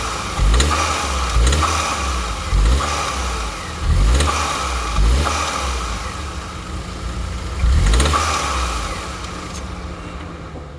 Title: Astra j Knocking noise